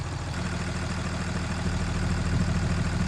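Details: Tractor abandoned about 40 years since the early 80s, freezing morning, starting fluid used: steady starter churn about three pulses a second, turning evenly but never catching; cranks without starting, crew wonders if timing is off.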